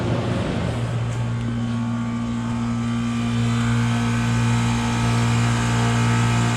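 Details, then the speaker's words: 1993 Comfort-Aire 18,000 BTU (1.5-ton) 220 V window heat pump in heat mode on a cool October night, blower on high: steady low hum with even blower-wheel rush, no knocks or rattles; normal operation. "It's now running on high. There's a little blower wheel in there."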